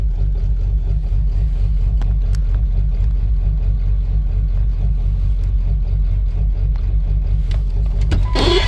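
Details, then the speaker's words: Truck with a 7.3 diesel at idle: ran normal when started, then began missing as it warmed up. It smooths out when given fuel. Deep uneven lope with beats dropping out; owner suspects a bad injector. Misfire at idle. "I started is that noral and then it started to warm up and it started missing when to give it fuel smooth out"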